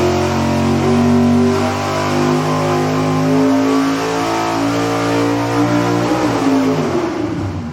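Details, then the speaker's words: Carbureted V8 on the dyno, naturally aspirated baseline before a 150-horsepower nitrous plate system is added: strong clean roar climbing evenly to about 7,000 rpm, then dropping off smoothly; healthy full-throttle pull, same as last test. "Okay. Big surprise. This thing runs exactly the same as last time we tested it. >> I know. But it's just as exciting to me to hear that thing at seven grand."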